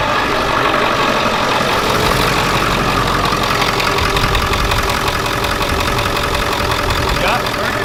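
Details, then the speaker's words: 7.3 turbo diesel van idling evenly after new alternator and correctly rerouted serpentine belt; charging, no dash lights, steady diesel clatter with no knocks, squeals or belt chirp — healthy normal idle. "As you just saw, guys, the old 7.3 is running good now, and we've acquired Justin."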